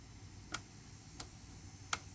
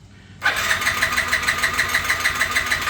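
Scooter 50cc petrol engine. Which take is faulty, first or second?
second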